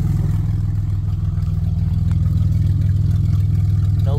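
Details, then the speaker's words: 1990 Dodge Grand Caravan LE, exhaust open straight out of the catalytic converter, low on fuel: a deep, loud, steady burble with even pulses, no misses or knocks; engine fine, just open exhaust. "back here sounds good besides the fact it's race car"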